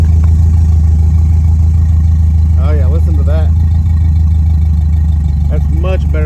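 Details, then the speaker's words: 1968 Camaro V8 idle after new spark plugs, new spark wires, coolant refill and carburetor tuning (springs and metering rod changed): steady, deep, even rumble with no knocks, misses or surging; running smooth and healthy. "I put brand new spark plugs in it, brand new spark wires, filled the radiator with coolant, and now she's running."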